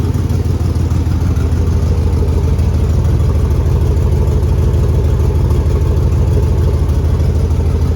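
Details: 2001 Chevy 2500 farm truck on its first start after new nylon fuel lines, with air purged: it fired almost first hit. A loud, deep tractor-like chuffing idle points to an exhaust leak.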